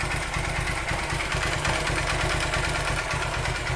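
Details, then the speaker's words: 2008 Honda Titan CG 150 single at idle: loud, hollow, uneven knocking over a rough beat, sometimes stronger; teardown found a worn piston from lack of lubrication. Piston slap. "Tem vezes que o barulho altera mais ainda, galera. Barulho bem forte"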